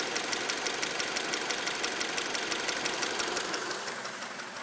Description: 2003 RSX with a ticking, we already adjusted the valves, what could it be?